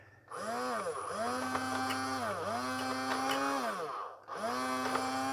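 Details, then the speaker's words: Cheap, lightweight toy-like sewing machine from charity shop e-waste, motor running but nothing driving: repeated whirring surges that drop and stall, lumpy and jamming; owner suspects stripped belt or broken/stripped plastic drive gear. "I think it's either stripped a belt or it's probably a plastic drive gear that's broken and it's not going right through its cycle. Anyway, something's jamming."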